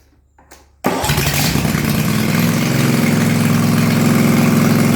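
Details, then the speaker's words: Toro Timecutter Z5020 ride-on mower fitted with a swapped eBay engine that came with only residual assembly oil. With no muffler fitted it fires at once into a loud, raw, even idle with sharp exhaust popping. Owner notes it feels a little underpowered. "I'll um fire it up and um show you what it's like it's pretty loud cuz obviously I've got no muffler on"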